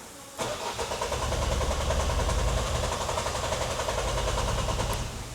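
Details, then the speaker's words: Vauxhall Vivaro van, cranked after priming the fuel system and spraying easy start, live data showing low fuel pressure: steady rhythmic cranking for about five seconds that never catches. Actual cause is the immobiliser not reading the key, a missed fault code, not fuel. "But still, we don't have enough fuel pressure. So I will strip to see if we have too much return on the injectors or the pump is not making enough pressure."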